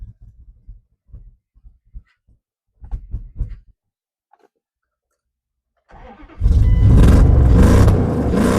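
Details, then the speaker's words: 1998 Dodge Durango, sat over 10 years: short cranking bursts, then catches and settles into a strong, even run with no knocks, misses or rattles; good oil pressure, idling well. "There we go. Sounds pretty good. There we go. Doesn't need the cobwebs worked out of it."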